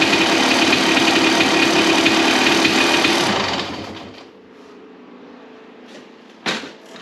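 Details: 1993 Honda CR250 two-stroke after crank seal and other repairs; harsh, crackly bark for a few seconds, then fades to quiet; too noisy, owner thinks the muffler packing is worn and needs a repack.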